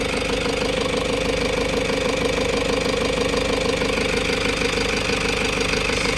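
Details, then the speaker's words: Toyota Hiace 3.0 diesel, after fixing faulty fuel injector (open-circuit code cleared) and dirty, watery fuel filter, which caused strong engine vibration: steady even idle clatter, no misses; check engine light off, running smoothly. "so start natin wala na rin siyang check engine sobrang tining niya"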